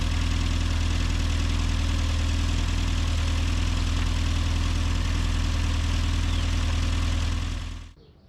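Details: Classic Mini Cooper S Sport 5 after fitting a new starter motor, which seems to have cured its starting issue: deep, even idle with a steady low hum and no knocks or misses for several seconds before switch-off; normal idle.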